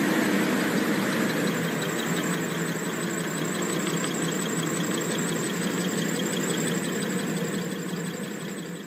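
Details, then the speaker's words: Cooling-tower blower with a slack V-belt: a loud, steady fan drive with a rough flapping beat about four times a second and a squeal as the belt whips and slips on the pulleys, with black belt dust scattered around. Slipping fan belt. "파닥파닥 거리면서 끼끼끼끼 미끄러지다 저렇게 주위에 이제 시커 맣게 또 가로 다 날려 있고요"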